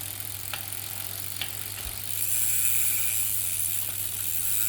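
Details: Brompton 6-speed hub gear: light, uneven ticks about once a second while pedalling, sound changes with gear; normal pawl clicking, reportedly normal.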